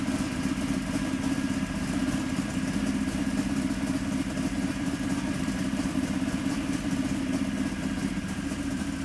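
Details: 711 ci twin-turbo Hemi V8 in a 19-foot Placecraft jet boat, first fire after about six years of construction: a steady, deep, lumpy burble with even firing, running on all cylinders.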